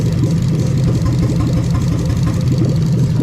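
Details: Toyota Sequoia 2UZ-FE non-VVT-i V8 (2002–2004), left-hand drive, manual-gearbox harness with remapped ECU, warm at about 81 degrees, coils unplugged one by one. Idle turns uneven and lumpy instead of a smooth hum, the stumble of one dead cylinder from an induced misfire.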